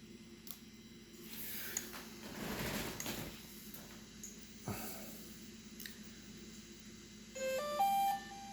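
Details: Brand-new DJI Mavic Pro Platinum replacement unit, startup with the remote connected: a faint steady hum, a few light clicks, then the usual rising startup beeps; no banging from the gimbal (the old one banged), so it sounds healthy.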